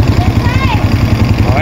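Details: Honda Bravo small motorcycle engine (like Wave 100/XRM 110): an even, steady low idle thump with no chain rattle or clatter on top; healthy, with only the rear top box rattling.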